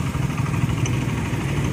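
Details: Old Honda Beat FI scooter that smoked white, burned oil, sounded rough around the piston and started hard, now at idle after new piston rings are fitted; even, low single-cylinder putter with no knocks or rattles. The idle is now normal.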